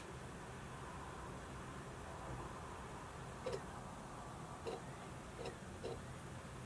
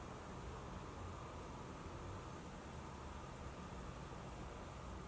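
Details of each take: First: Modified 60 GB PS3 fat model with 19-blade fan retrofit: steady fan hiss with irregular sharp clicks every second or so as the disc drive seeks; noisy periodic disc drive reads. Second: Console fan running: only a soft, even airy hiss with no whine, rattle or surging; normal quiet fan.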